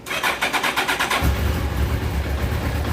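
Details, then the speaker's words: Suzuki Hayabusa motorcycle that wouldn't start due to a blown fuel pump fuse, after replacing it: starter churns about six quick strokes, then the engine catches and settles into a steady idle; healthy start. "running she's running she madej it warmed up but yeah ain't that something"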